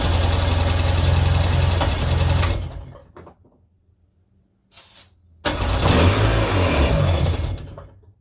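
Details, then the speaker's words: 1999 Sea-Doo GTI, freshly rebuilt single carb and new fuel lines: fires, runs a couple of seconds, dies, sputters and fades; fuel starvation, the carb isn't drawing gas; owner suspects supply and return lines may be swapped. "sounds like a strong engine we're just got to get gas up there to it"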